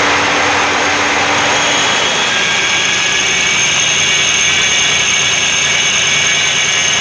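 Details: Mercury Villager idling: loud steady hissy rush high above the idle with little low end; exhaust leak behind the engine.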